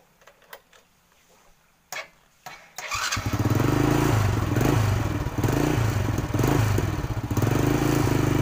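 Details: Motorcycle whose spark plug had died completely with no spark, after a roadside alternative plug repair; a few clicks, then it catches and settles into a steady, even idle with no misses; normal start and idle.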